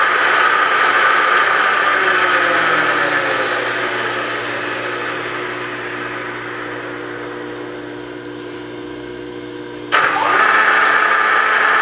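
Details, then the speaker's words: Bridgeport mill J-head on 3-phase power after repairing a locked spindle sheave and fitting a new belt: steady, even motor hum and whine with no knocking or grinding, then a sharp clack near the end; the brake works and the spindle runs healthy. "brake works looks like everything's functioning"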